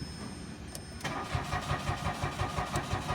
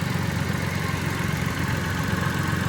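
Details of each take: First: Mitsubishi Mirage, push-start automatic, parked for about a week: the starter cranks steadily for about five seconds without firing because no fuel reaches the engine, despite a new fuel pump; a blown fuel pump fuse. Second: Mitsubishi Mirage push-start automatic, after fuel pump motor replacement and a blown fuse fix for a crank-no-start after sitting about a week: small petrol engine idles steady and smooth, no knocks or misses.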